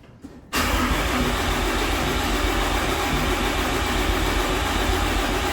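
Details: Used 6.7 Cummins bottom end swapped into a 600hp hotshot truck, not fired in years, first start attempt on stock tune after oil pan install: starter spins evenly for several seconds but never catches; cranks, no start.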